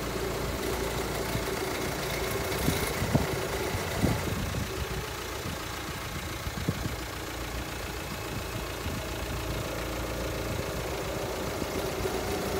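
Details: 2005 VW Transporter T5 1.9 TDI idling: rough, uneven undertone with scattered clunks over the diesel chug, from a failing power steering pump. Fix is a new pump with green original hydraulic fluid.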